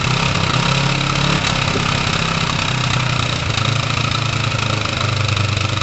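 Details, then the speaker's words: Kawasaki ER-5 twin (Tamoretti retro) idling after restoration work, carbs roughly tuned; steady idle sags now and then like a real big weird stall before picking back up, cause unknown; intermittent idle stumble. "so the tuning is okay it's not that far out but you watch watch the drops this thing does what every now and again see that did you see that there's like a stall in the engine"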